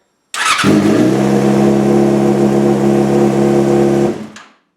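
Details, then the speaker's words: 2003 Yamaha R6 sportbike on a new battery charged to 100%, second start: brisk, strong starter spin with a steady even tone and no slow chugging, smoother and faster than with the old battery; normal healthy cranking and start. "Alright, I don't know if you guys can tell, but the starter is so much smoother, faster, aggressive almost is the way I would describe the starter now."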